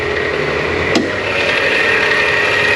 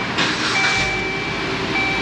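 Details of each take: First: Dodge Journey engine running: steady high-pitched whine and scraping chatter from the belt drive; alternator clutch pulley failing, metal particles found on the pulley, possibly from the alternator. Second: Dodge Journey, 93,000 miles, belt noise complaint: idling with accessory belt removed is smooth and quiet as a mouse, no chirping or rattling, so noise lies in belt drive; alternator and tensioner suspected, tensioner not moving with belt.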